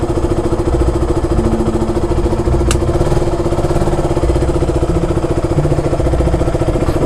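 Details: KTM RC at idle after draining water-contaminated petrol and refilling with fresh fuel: steady idle thump with even exhaust pulses and no stumbles; the misfire is gone.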